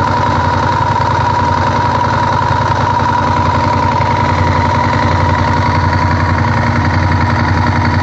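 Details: Honda VTR1000F V-twin idling with a loose, irregular knock under the firing beat; worn cam chain tensioners letting the chain slap, cured in 2014 by replacing the tensioners.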